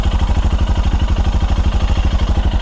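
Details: Royal Enfield Himalayan Euro 5 right after inlet and exhaust valve clearance adjustment, microphone over the engine: a deep, regular single-cylinder thump, steady and even, with no ticking. A healthy idle.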